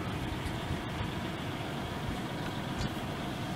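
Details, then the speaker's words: 1996 Oldsmobile Cutlass Supreme, 3.1 L sequential fuel-injected V6, four-speed automatic with overdrive, 86,487 miles, cold start: smooth, even low rumble with no knocks, misses or squeals, settling into steady healthy idle. "let's go ahead and fire it up runs great"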